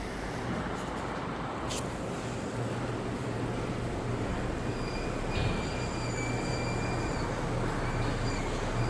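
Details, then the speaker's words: Honda on aftermarket semi-metallic pads fitted by another shop, replacing quiet ceramic OEM pads: thin, steady high-pitched squeal over low engine rumble while creeping back and forth on light brake application; right side also grinding. "Oh, there's the squealing noise. I don't have to go very far. You hear that? I don't know. And then on this side, the brakes are squealing."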